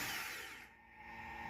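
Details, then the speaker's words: Toyota Hilux 2.7 VVTi petrol, after fuel tank submersible unit replaced for dead gauge: thin steady whir of pump inside tank while cranking, but no fuel reaches engine and it won't start. "You can hear the pump making a noise in the tank, but the car doesn't start."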